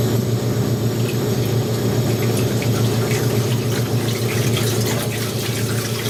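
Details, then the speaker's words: Maytag A407 washer converted to A606 two-speed setup, large load, after 45-second timer pause: steady low motor hum, water rushing and gurgling evenly at start of 4.5-minute drain and spin; no knocks or grinding, draining normally. "Alright, so we're in a 45-second pause in order for the timer to set up the motor for a 4-minute and 30-second drain and spin."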